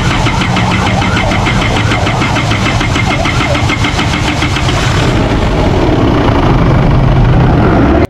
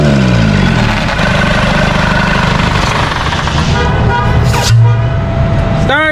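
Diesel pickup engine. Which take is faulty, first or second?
first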